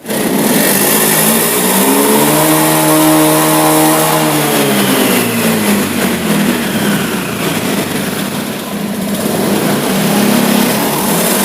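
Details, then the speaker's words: Honda Beat FI injection scooter revving up cleanly, then turning ragged and stumbling at high rpm near full throttle as if running out of fuel; faulty throttle position sensor, reading checked in degrees. "dan sudah kita buktikan tadi ketika gasnya saya juga semakin tinggi justru dia lebih menjadi Hai seperti mau kehabisan bensin games karena terjadi kerusakan pada sensor tv-nya"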